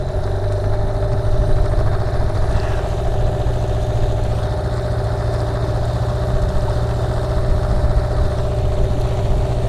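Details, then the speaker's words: Dinghy outboard after carb cleaning: low lumpy idle with uneven beat and slight wobble, shake reduced but still present; cause not confirmed. "still got the shake but it's nowhere near as bad maybe i'm gonna have to leave this up to you guys how do i solve this issue"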